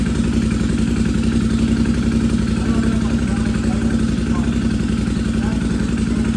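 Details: Free Suzuki Intruder motorcycle after fuel line replacement and fresh fuel: strong, steady low thumping at a few beats a second, no stumbling or cutting out; runs properly after repair.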